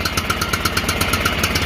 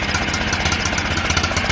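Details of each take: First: John Deere L108 lawn tractor, revived after sitting about a year, at high throttle: firing pulses about eight a second, uneven and choked; throttle was stuck, and it ran strong once it freed. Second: John Deere L108 lawn tractor, sat about a year, after fuel in system and freeing stuck throttle, at high throttle: small single-cylinder engine runs steady and even, no misfires or knocks — normal running.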